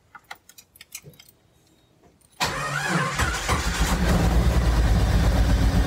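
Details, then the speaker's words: 1991 Jeep Wrangler YJ 4.0, first start after sitting about 6 months with the fuel tank out: a few clicks, then it fires and runs loud, raw and blatty; exhaust cut off, oil pressure present. "got oil pressure man it it it sounds a little shitty because the exhaust is cut off but it sounds awesome to hear running again"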